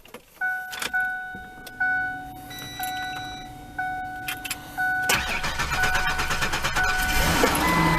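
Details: 1996 Ford Explorer after replacing the starter solenoid: chime and beeps, then the starter cranks briefly and the engine catches and settles into a steady idle; starts normally.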